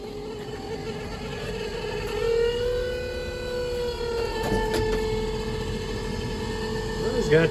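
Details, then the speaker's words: 1976 Ford F-250 390: heater blower motor on defrost gives a steady high-pitched whine that climbs with fan speed and holds; old, dry blower motor that can't be oiled in place, sounds horrible. "defrost. That's what he wanted. That motor sounds horrible."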